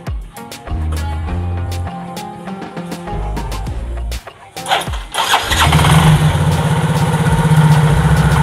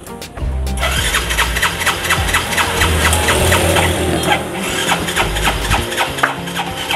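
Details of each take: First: Yamaha Mio J scooter that would not start, after fitting a new spark plug to replace a crusted one: the engine fires up and settles into a steady normal idle. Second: Yamaha Mio J scooter that stalls and is hard to start, with blinking lights, gives repeated cranking strokes about twice a second but never catches. A fouled spark plug giving no spark is the suspected cause.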